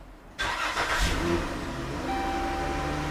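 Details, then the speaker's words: 2011-2020 Dodge Caravan / Chrysler Town and Country 3.6 after valve cover gasket replacement, battery reconnected: starter catches quickly, smooth even idle with no misfires or stumbles; normal start and idle. "there we go no misfires sounds good perfect"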